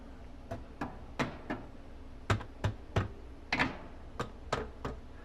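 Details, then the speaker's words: House inspection, framing struck with a gardening tool: irregular sharp, dull knocks about every half second, all alike with no hollow ring; framing sounds solid. "That's solid. If I hear something hollow, that's a different sound. No, that's good. That's good."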